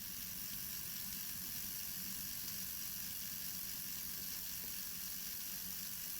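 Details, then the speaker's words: Old 0-6-0 diesel shunter model locomotive motor, which screeched at first because its end pivot was bone dry, now running after the pivot was oiled. It gives a soft, steady high whir with no screech: normal motor running. "Right folks, it lives. Result."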